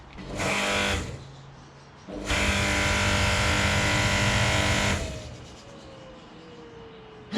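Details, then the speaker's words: Gerni 3000 hot-wash pressure washer bought broken and repaired, diesel burner lit after the boiler fills: a short burst, then about three seconds of steady, even rushing roar; the diesel heater fires normally, though a pressure valve leaks. "the diesel works"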